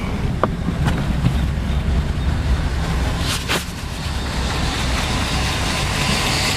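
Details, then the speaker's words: 1980 Mercedes 450SL after rebuilt fuel distributor and three new injectors, not yet warmed up: low, even idle around 600 rpm with no misses or stumbles, steady soft burble; previous rough idle cured. "Rebuilt fuel distributor and 3 new fuel injectors, and that's how it's running now."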